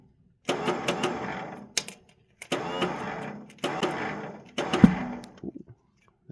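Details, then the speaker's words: Bolens HT-23 garden tractor cranking on first start of the year: short churning bursts with cracks and a loud backfire pop; worn starter bendix struggles to engage, later pushed into place with a screwdriver to start. "was a backfire weird oh that kind of sucks look into that more yeah the starter we a bit of a tickle and uh try it again"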